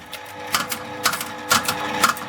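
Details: 1979 Aristocrat Esprit 4-reel mechanical slot machine: light mechanical clicks and whirring bursts about every half second with a crisp ratchety tick; reel mechanism cycling cleanly, normal operation.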